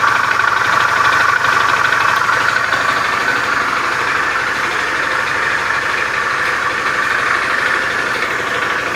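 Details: Beat FI scooter with a rough starter, idling in the workshop: a rough, uneven clatter of about three knocks per second over a harsh mechanical rattle. Rough engine noise; cause unconfirmed.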